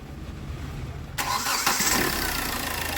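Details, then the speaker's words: Hyundai Verna Fluidic diesel, over 200,000 km, after timing chain replacement and bleeding air from fuel system: short crank, catches straight away, settles into an even, steady idle with no chain rattle; timing chain noise gone. "അങ്ങനെ start ആയിട്ടുണ്ട് air ഒക്കെ എടുത്ത് start ചെയ്തു നല്ല smooth sound ആയിട്ടുണ്ട് timing ചെയിന്റെ noise എല്ലാം മാറിയിട്ടുണ്ട്"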